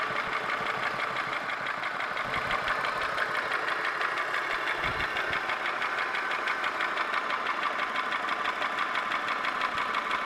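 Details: Holden Commodore VY V6, Series II Buick 3800/Ecotec 3.8, at idle: a crisp, even tick about three per second; owner asks whether it is lifter or valvetrain noise or bottom-end rod or bearing noise. Unconfirmed.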